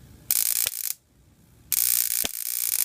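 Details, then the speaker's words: Ion chair high-voltage DC supply (negative on top, positive on bottom) running about 22,000 volts into a grounded wire to an 8-foot ground rod: harsh squealing hiss broken by sharp pops when the positive side is shorted to ground, arcing at poorly insulated leads. "Hear that pop? When I short the positive side to ground, it's discharging up here. Need to insulate that better."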